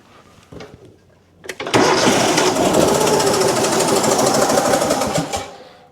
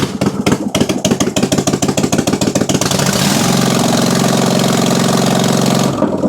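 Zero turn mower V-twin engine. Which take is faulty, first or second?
first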